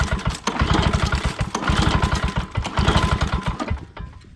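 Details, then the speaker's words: Old Lawn-Boy 10550 push mower, unknown condition, pull-start attempts with choke and primer: uneven chuffing that never catches; owner suspects carburetor or too little fuel, unconfirmed. "Well, I ain't doing nothing. Oh, I just gotta take the carburetor apart."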